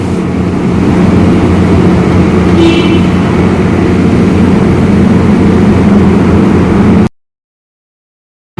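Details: Ford Expedition after repair of a P0306 cylinder 6 misfire caused by a carboned spark plug, plug replaced and codes cleared: smooth, even petrol idle with a steady low hum and no stumble.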